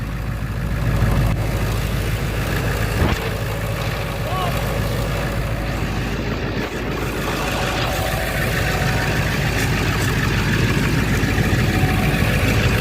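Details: 1999 Ford F250 4x4 with the 7.3L International diesel, second start after an oil and filter change (fuel filter changed the previous day), checking from underneath for leaks: deep, steady rumble with no knocks or misses. Healthy idle.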